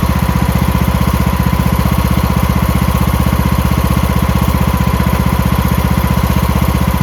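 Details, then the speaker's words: Craftsman MTD T1600 lawn tractor with 46-inch deck, first start after camshaft (ACR) replacement: normal idle, steady evenly spaced low putter at constant speed with no misses, knocks or surging, smooth and healthy. "Let's go. Smooth as can be. That's idle."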